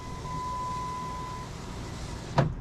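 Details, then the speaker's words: 2003 Jeep Grand Cherokee driver-side power window, key on, before repair: steady even motor whine, clean stop with soft thump at top; this is how a healthy window motor and regulator should sound. "That's about what it should sound like. Don't you agree? I do."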